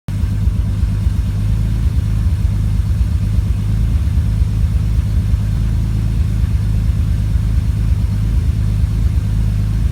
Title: Idle misfire